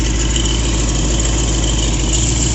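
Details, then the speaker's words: 1966 Chevy 396 bored to 402, mild RV cam, Edelbrock Performer 2.0 intake and 750 CFM carb, on a stand after break-in. Leaned for idle at about 780–800 rpm with timing about 11–12°, it idles smoothly and evenly with no misses or hunting; healthy. "Vacuum, I got it leaned out as much as I can for idle. Idling at about 780, 800-ish."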